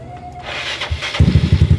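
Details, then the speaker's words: Motorcycle ("Panther") started using two portable drill batteries wired together as a jumper: a brief crank, then it catches about a second in and settles into firm, even exhaust pulses around nine per second. Successful start. "Dalawang battery ng drill. Napaandar natin si Panther."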